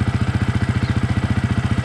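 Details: Yamaha YZF-R 125 single-cylinder after Powertronic installation, started: steady even thump about thirteen beats a second, no misses or pops; clean healthy idle.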